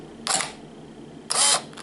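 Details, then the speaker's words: Canon EOS Rebel S 35mm film SLR body in automatic mode under brighter light: two crisp mechanical clacks about a second apart, a quick open and close with no drag or hesitation; faster shutter in more light, working normally. "here the opening and closing is faster Ok if we throw the light of the mobile it is even faster"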